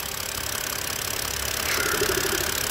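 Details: 2008 BMW N52 engine shaking with rough idle and no fault codes: uneven pulsing idle with a hissy top end from a leaking crankcase ventilation (PCV) valve / oil separator causing excessive crankcase pressure; replacement recommended.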